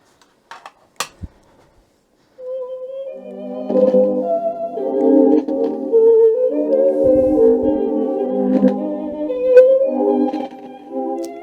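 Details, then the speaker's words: Cassette player from a used job lot playing a Mozart tape; the music wavers with a slow, sagging, wobbly pitch throughout, wow and flutter blamed on a perished drive belt; the unit also has a faulty volume pot. "this does move the tape but uh clearly the belt is Cactus because it's all wobbly and terrible that was to be expected"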